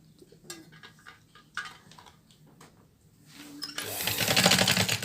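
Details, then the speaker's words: Sewing machine running heavy and noisy with the needle removed; scattered clicks then a loud, harsh, rapid clatter, the noise unchanged without the needle, pointing to a dirty, jammed shuttle. "लेकिन ये same उस तरह आवाज है मतलब है इसके अंदर शेडल का कोई इशू है"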